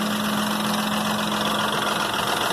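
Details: 2001 Ford Expedition V8 idling after timing chain replacement and exhaust manifold repair: fast, light tapping over steady hum, owner first suspected manifold leak; cause was seven failed hydraulic lash adjusters on passenger-side head, oil passage blocked by gasket plastic.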